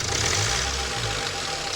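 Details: 2017 Range Rover Evoque diesel, battery low, after a repair cured an earlier screech that was thought to be the turbo: even idle with a light clatter and no turbo screech or whistle. Normal idle.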